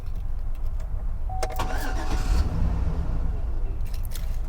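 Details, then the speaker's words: 2013 Chevrolet Silverado, no codes: cycling key from off to on and back off makes the starter crank briefly and the engine fire and run a second; crank and ignition relays keeping the ECM powered suspected, unconfirmed. "yeah it definitely will like fire off and run for a second so that would have to be crank relay and an ignition relay keeping the ECM powered up"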